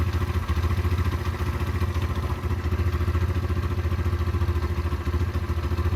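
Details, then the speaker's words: Derbi 125 motorcycle (model unknown), a former non-runner, being ridden after a carburettor clean and fuel tank clean: steady single-cylinder thump at about three and a half beats a second, even and clean with no misfire; it runs normally. "that's that's riding lovely guys"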